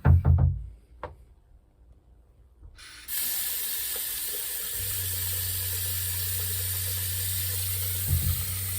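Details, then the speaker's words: Boat freshwater pressure pump at night in port: the tap is opened fully with rushing water, then a low, steady pump hum starts; the pump runs normally. "entendez la pompe qui se met en marche? C'est normal. Si je coupe, la pompe s'arrête."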